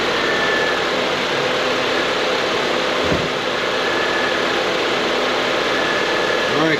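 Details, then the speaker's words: Honda CR-V after A/C condenser replacement, engine idling while cooling system is bled: brief soft thump and slight load change as A/C compressor clutch engages normally; vent temperature probe then shows air cooling. "let's turn on that air conditioner let's see what happens hopefully just hopefully we'll hear that compressor kick in [Music]"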